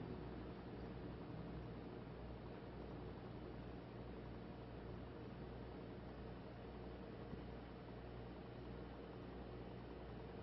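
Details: Brand new build with Arctic Liquid Freezer 240: quiet, steady low hum and whir with faint airy hiss, no rhythm; owner questions whether cooler pump/fan noise is abnormal.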